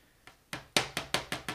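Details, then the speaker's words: El Camino camper-shell Lexan window, held by 3D-printed spacers, rattling loosely in its frame with a burst of sharp plastic taps about five a second; it is to be sealed shut with caulk inside and out. "that sound that's what it would sound like so anyways the goal is just to have held in place for now"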